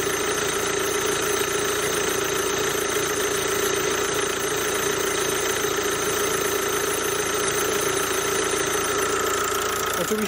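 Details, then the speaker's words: CRDi diesel idling with a loud steady whoosh and thin constant squeals from a belt tensioner pulley with a worn bearing; only one pulley rather than the whole set had been replaced, and it needed repair again. "Natomiast jeżeli mnie słychać to chcę Wam pokazać jak pracuje rolka która ma wyrobione łożysko"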